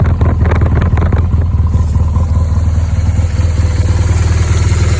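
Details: 2010 BMW R1200GS Adventure, 27,000 miles: steady boxer idle with an irregular light clatter over the low thump, about two knocks a second; engine noise at idle, source unclear.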